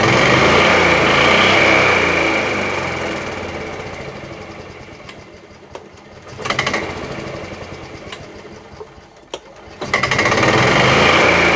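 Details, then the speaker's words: 1987 Club Car DS gas golf cart, Kawasaki KF82 engine, revved while stationary: uneven irregular clunking. Owner is sure it comes from the noisy, rough-spinning drive (primary) clutch, not the engine, after the driven clutch broke (its shaft was rusted and dry). "I'm going to start this up and rev it up a little bit. It makes a clunking noise, and I'm sure it's coming from that clutch."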